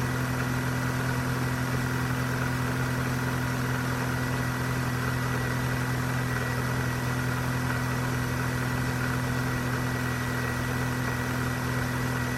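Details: 2001 Corsa C 1.4 16V at cold start; smooth, even idle with steady low hum and no ticking; ticking only begins after 5–10 minutes and grows louder as the engine gets hotter; normal cold idle.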